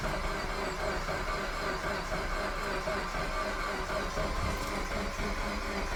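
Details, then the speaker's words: Suzuki Swift Sport bought from a salvage auction, keyless start: steady even cranking at about one beat per second, engine turns over but never catches; crank no-start, cause not yet found. "right so we're cranking sounds like it wants to go on but it's not so we're gonna have to do a bit more digging and see what we can find out"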